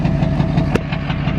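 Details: Duramax diesel truck smoking at idle: low rumbling idle with a regular thump about six times a second over the engine note; uneven idle, owner suspects a dirty injector stuck slightly open, not confirmed.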